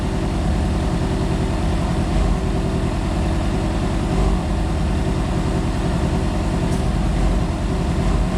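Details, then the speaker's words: Flood-damaged Yamaha FZ6 Fazer running after intake cleaning and engine oil flush: steady, even engine rumble with no knocks or misses; runs smoothly and sounds normal, though some water was later found in the fuel. "we brought it back to thinking there is a bike again so it's working like a bike again it sounds like a bike again it's not pumping water again it's acting just like a bike"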